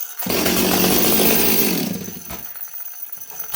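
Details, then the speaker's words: Stihl 026 chainsaw after carb adjustment (about 3/8 turn, backed slightly rich), restart with top cover off while getting hot: fires at once, revs high and clean, sounds rich then smooths to steady idle without stalling; starts and runs properly. "Okay, it restarts good. Now, I noticed the idle got a little bit more... It sounded rich and then it smooths out."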